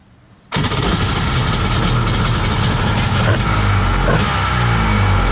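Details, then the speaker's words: Kawasaki 1100 ZXi jet ski two-stroke, after taper-bored 38 mm carbs fitted, catches at once and settles into steady strong burble with slight rev rise; running cleanly, issue appears solved. "nice I think that solved the issue so hopefully we ride this thing soon"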